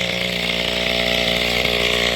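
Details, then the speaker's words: Mantis tiller two-stroke engine after carburetor fuel pump diaphragm replacement, low idle raised so it won't die: fast, steady buzz holds high instead of settling low; owner thinks idle is still a bit too high, though lowering it makes it want to stall. "i think it still might be a little bit too high on idle but anyway other than that here we go"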